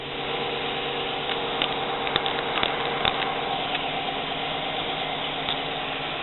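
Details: Jeep Cherokee engine idling with misfire on cylinder 5 after coils, plugs and injectors were checked: uneven, lumpy idle with irregular sharp ticks over the hum.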